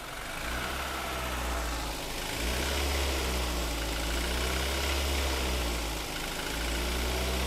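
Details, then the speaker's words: Toyota Avanza/Daihatsu Xenia, cold morning start after a reportedly long crank; engine idles with a slightly rough, uneven beat and heavy low rumble; rough idle, cause not confirmed. "jadi suaranya emang agak agak agak kasar dikit"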